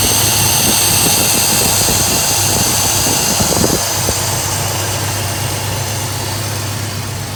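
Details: Chevy S10 with carburetor, still flooding slightly, after vacuum leak fix; warm engine holds smooth steady idle around 950 rpm with no misses or hunting, normal idle.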